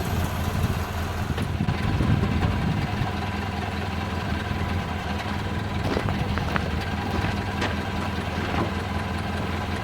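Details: 1929 Ford Model A after oil pan gasket replacement and new oil filter fitted: slow even low-pitched four-cylinder idle with steady beat and light valvetrain clatter, before test drive; sounds like it's idling really well.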